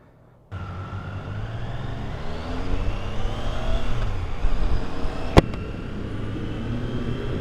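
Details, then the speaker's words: 2022 Triumph Tiger Sport 660 after the dealer loosened the overtight chain; engine pulls up smoothly through the revs with a clean rising note, no whine, past 40 mph. Chain drive sounds normal. "Yeah, everything seems to be back to normal again. I'm so happy that's all it was."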